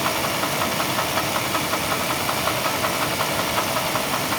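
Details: '96 Chevrolet Blazer 4.3L V6, knock began after the starter housing cracked off, still holds oil pressure: steady, regular knock about 160 a minute from the oil pan; owner suspects a damaged crank bearing. Bottom-end knock.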